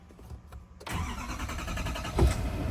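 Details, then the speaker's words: 2024 Chevrolet Silverado 2500HD 6.6L L5P Duramax diesel, started after a fuel filter change with a billet filter housing and fuel priming: quick crank, instant catch, steady even idle with a brief throttle blip; normal start. "Cranked right up."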